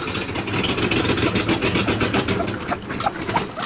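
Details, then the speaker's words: Mercedes-Benz W123 250 Pullman limousine, euro model, running on a little gas poured in: rough, uneven, surging and sagging revs, then it dies; owner says the fuel pump isn't pumping and the carburetor needs a rebuild, possibly sucking air. "I poured some gas on the car let's see this thing go you're gonna hear a crank over at some point I didn't put very much there you go that's probably what you're gonna get"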